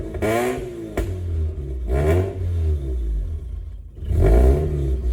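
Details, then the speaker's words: 2004 Mazda RX-8 rotary track car with a makeshift intake manifold and a just-replaced mass airflow sensor, code cleared: revs swell on throttle, then sag and nearly die between blips. It can't hold idle and stalls when the throttle is released. "Yeah, it wants to die. It wants to die."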